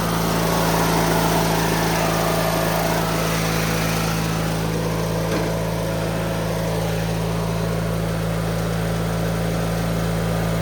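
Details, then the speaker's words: 2003 Craftsman (AYP) DYT4000 lawn tractor after repairs: even, steady single-cylinder drone at constant speed, no misses or knocks; starts right up and runs strong. "Let's start it now. Runs good though. Starts right up. I might need choke now. Let's see. Runs strong."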